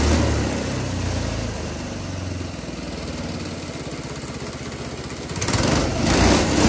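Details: GX200 Honda-clone single-cylinder go-kart engine on hydrogen with pure water injection to cool intake valve and stop reignition: fairly even thumping idle, revs picking up toward the end; runs much smoother than pure hydrogen, especially once at operating temperature.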